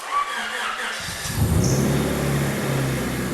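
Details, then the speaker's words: Donor engine just installed in an EM2. Starter catches and the engine fires right up on the first start into an even, steady idle; clean first start. "Look at that. First start, and it started right up. That almost never happens."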